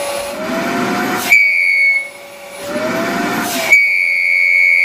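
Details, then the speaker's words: Rowenta Compact Power Cyclonic vacuum cleaner: motor roar with a sharp, steady high whistle cutting in and out with the airflow from air leaking past the filter; pressing the filter down stops the whistle. "Evet şimdi bakın bastırdığım zaman ses kesildi"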